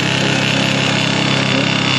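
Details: 2021 Can-Am Commander Max four-seater: revving engine with a fast metallic rattle and buzz of driveline rattle, a known model issue per dealer; owner fits an aftermarket carrier bearing, which reduces but does not eliminate the rattle.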